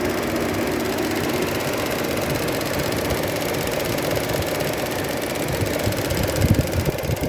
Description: Noise produced by the EVAP valve on Opel Mokka 1.4 turbo gasoline